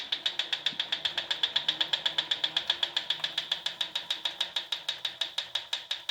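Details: Proform Power C7L iFit exercise bike pedalled: sharp, bright ticks, about six a second, repeat steadily. The ticking has grown louder and more frequent as the wheel wobble worsens, with bolts tight and no visible rubbing.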